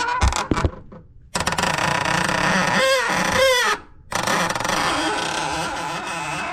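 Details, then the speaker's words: 1994 Chevrolet S10 with the clutch pedal being pressed: a loud, rough groaning drone with a short wavering squeal that stops on release. It comes from the slave cylinder, not the master, and vibration is felt there; master, lines and slave to be replaced. Failing clutch slave cylinder. "Entonces, en este caso, el ruido no viene de este cilindro maestro, sino que viene del cilindro maestro de abajo, que es el cilindro esclavo."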